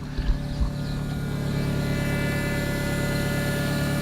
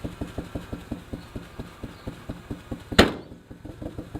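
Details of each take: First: 1990 Honda Civic ED, D16 swap converted to EFI, running after 4 years sitting: steady low drone with constant thin whine from the external fuel pump with surge tank; normal pump sound. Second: 1990 Honda Civic ED with built D16 turbo swap, EFI, first start after sitting about 4 years: uneven lumpy idle with irregular pulses about three per second, running rough and rich; owner suspects very old fuel.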